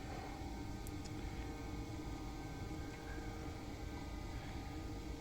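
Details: Gas boiler with a Thermowatt ignition/controller board (Ariston/IMIT type), after replacing the broken ION-sensor amplifier transistor: soft steady roar with a faint hum and no repeated spark clicks. The flame lights and holds normally.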